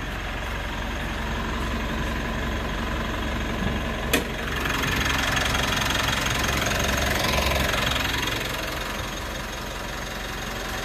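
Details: 3rd-gen Mitsubishi Montero/Pajero Sport diesel, first start after weeks sitting, battery 14.1 V; starts normally, even idle with steady light clatter about 220 beats a minute, no misses or stumbles; normal diesel idle.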